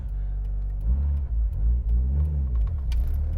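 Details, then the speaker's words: Mitsubishi Evo with ACT twin-disc clutch pulling away in first just below 2000 rpm, clutch released not super smoothly: even rumble with no shudder or chatter, unlike the Exedy twin disc; smooth clutch engagement. "so like right there that was a first gear starting to go the exedy would have did a chatter right there i know it would have i was just below 2000 rpms releasing the clutch not super smoothly but there was no chatter at all"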